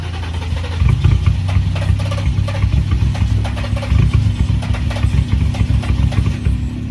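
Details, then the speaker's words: Nissan 350Z, revived after sitting about two months: starter cranks unevenly for several seconds but engine never fires after a new crankshaft/camshaft position sensor (ECU and fuel pump earlier replaced); owner suspects the fuel pump. Crank, no start. "so that didn't work out the crankshaft position sensor didn't work literally the only thing that i could possibly be now is the fuel pump"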